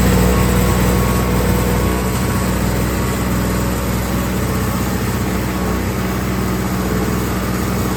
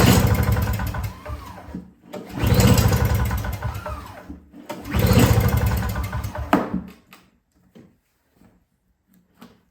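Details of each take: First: Whew, 2 strokes. But awesome, it's running. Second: Yard Machines 21-inch single-stage two-stroke snowblower (50:1 fuel, fresh gas, key on run, choked and primed, barely takes prime): three hard rope pulls spin it with a rough chuff but it never fires; cranks but won't start, cause unconfirmed.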